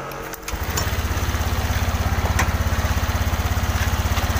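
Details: Honda Vario 125 LED with weak, sluggish power, just after fitting a new fuel pump (fuel pressure about 47): fires up quickly and settles into an even idle of about three pulses a second, no stumbles; normal idle.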